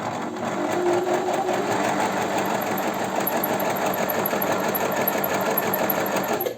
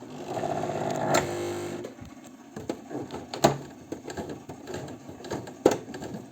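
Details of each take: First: Janome 509 sewing machine, about 15 years old, running completely dry without lubrication: harsh rattle under each stroke with a thin high pulsing whistle, indicating maximum wear on all parts. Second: Janome 509 sewing machine, about 15 years old, after repair, sewing four-to-five layers of heavy fabric about 2 mm thick: motor hum with loud uneven thumps about every two seconds; normal heavy pounding.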